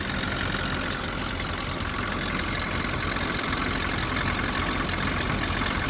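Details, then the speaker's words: Nissan pickup with a blown head gasket, started after sitting snow-packed in a blizzard: lumpy, uneven idle loping about four beats a second with chattering top end and timing chain noise; misfire, running on few cylinders from the blown head gasket. "yeah timing chains making noise yeah all that started making noise at the same time as the head gasket blown so [Music] it's a nice sound isn't it"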